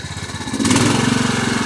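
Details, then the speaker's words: Craftsman lawn tractor, 16.5 hp Kohler Command single-cylinder: fast, even thumping with loudness pulsing in a steady ripple; surging at idle despite a fully clean, non-adjustable carburetor, cause not evident. "always pulses in that carburetor is clean as a whistle meaning completely clean and there's no adjustment on it"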